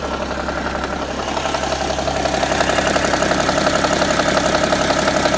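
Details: BMW E60 idling: steady sewing-machine-like tapping about three beats per second, growing slightly louder; abnormal idle noise, cause unclear.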